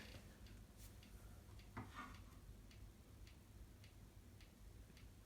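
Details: Amiga with GOTEK floppy emulator loading: crisp evenly spaced ticks about every half second over a quiet low hum; ordinary track stepping.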